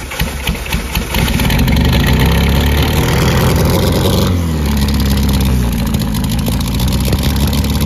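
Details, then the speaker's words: 1976 MGB with K04 turbo, about 157 hp at 12 psi: rough, lumpy, tractor-like idle pouring smoke after coolant entered cylinders; head gasket blown for the third or fourth time, not the suspected turbo coolant lines. "oh yeah bro head gasket is gone for the third fourth time"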